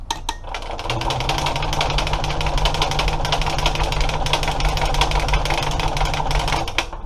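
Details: Engine with carburetor not hooked up, ether squirted into the carb opening; starter churns at roughly three pulses a second for about six seconds, never catching or firing: crank, no start.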